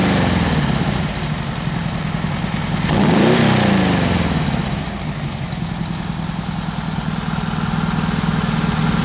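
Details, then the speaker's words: Newly built 1776 air-cooled single-port engine during camshaft break-in, hot: idle, then a quick blip rising and falling cleanly back to a steady idle. No stumble or hesitation off idle. "sound okay to me doesn't appear to have that uh hesitation"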